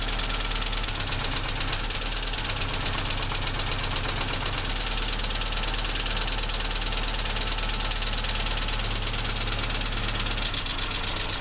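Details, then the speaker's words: Tavria MeMZ-245, 800 km after overhaul with Avtramat pistons and 1.2 crank, near idle: sharp, uneven metallic ticking about twice a second. The knock grows with cylinder 4 cut and on throttle release; suspected piston pin knock in cylinder 4. "Отключение 4-го цилиндра. Стук усилился. Выхлоп нормальный, тяга нормальная, двигатель работает ровно."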